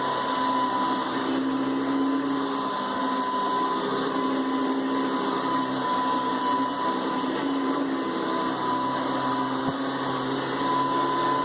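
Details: Hoover Decade 800 upright vacuum, two-speed, run on speeds 1 and 2: even, steady motor rush with constant pitch and level, no knocks or rubbing; very smooth, pleasant normal running.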